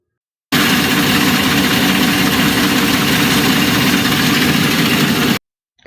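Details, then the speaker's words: Idling direct-injection engine with busy, fast ticking over the hum from a louder-than-normal high-pressure fuel pump, which doesn't necessarily mean the pump is faulty; a mechanic's stethoscope can isolate it. "I louder than normal High Press fuel pump doesn't necessarily indicate an issue with the fuel pump"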